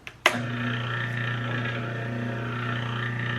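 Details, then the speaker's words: Used JET JBOS-5 benchtop oscillating spindle sander (115 V), first power-up after auction purchase: switch clicks, motor comes straight up to a steady low hum with faint even flutter, no rubbing or rattle; runs normally. "Now this is working. Other than the paper is messed up, but we're working"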